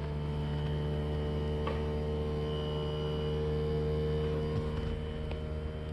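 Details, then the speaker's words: Mr Cool 18k BTU DIY single-zone mini-split outdoor unit in a blizzard, defrost cycle with compressor in cooling mode and fans off heating the coil: steady, smooth compressor hum, no fan noise; normal defrost. "so right now what it's doing is it's running the compressor in air conditioning mode with the fan off so it's generating heat in the condenser coil"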